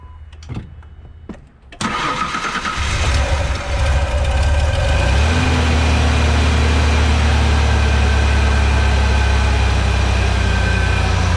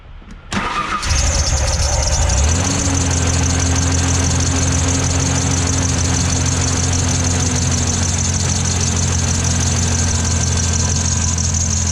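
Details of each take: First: 1997 Ford Ranger after new belt and replacing the idler pulley: engine cranks, fires and settles to an even idle with no chirp or squeal; belt squeak fixed. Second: 1997 Ford Ranger, new belt and idler pulley already fitted: the engine cranks and idles with a constant high-pitched serpentine belt squeal. The belt wobbles side to side at the tensioner pulley (misalignment); water on the belt stopped it, ruling out bearings.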